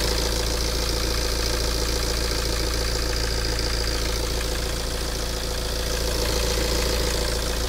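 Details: 9-year-old Tata Safari Dicor 2.2 diesel, well maintained: even, steady clatter at settled idle with no back compression, no hunting, no misfire and no knocking; normal healthy idle.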